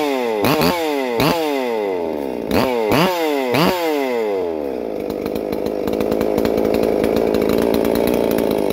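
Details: Holzfforma MS 440 parts-kit clone chainsaw, freshly built with ported 52mm big-bore cylinder (~76cc), first runs before break-in: a few short catches with revs sagging, then settles into steady crisp, slightly rich running; normal.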